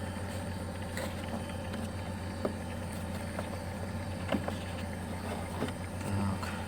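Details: Chery Amulet A15 idling after a fix for a fuel pump that would not run, caused by the alarm relay cutting the yellow-red fuel pump wire, now bypassed so the pump works: a steady, even low hum with no misses or surges.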